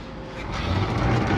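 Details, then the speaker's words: Electric hose reel motor after pushing the button and solenoid relay clicks: low hum swells and holds steady as the reel winds in normally. "and it does its thing you can see they work pretty nice actually"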